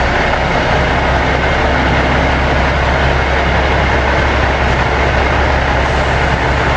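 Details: Seddon Atkinson 311 Cummins diesel truck yard find, air building up after start: deep steady rumble at idle, even beat, no knocks or misfires, said to sound sweet as a nut and hold all its fluid; normal idle.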